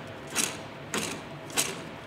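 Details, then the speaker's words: Ford Mondeo Mk5 2.0L diesel six-speed manual gearbox from a taxi at almost 300k miles, removed for a rumbling noise: gritty rasps as the loose, tipping bearing in the three-bolt plate is turned by hand, feeling rough, confirming a worn bearing. "I know that Plate's not healthy but when I feel it when I turn the bearing in my hand it feels rough as hell so there we go that is our problem"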